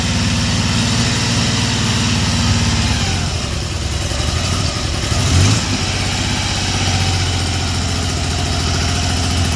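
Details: 1974 Triumph Trident three-cylinder fouling a plug: one ignition coil has broken windings and sparks weakly under compression. An uneven, stumbling idle with a brief blip midway, one cylinder missing: misfire from a failing ignition coil.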